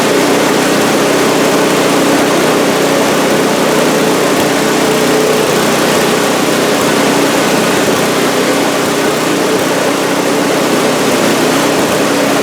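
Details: Scrap-heap snowblower after its carburetor, which held oil-like sludge, was cleaned and the jet flushed with carb cleaner: a small single-cylinder runs loud and steady throughout, with no surging or hunting. The carburetor now feeds it properly.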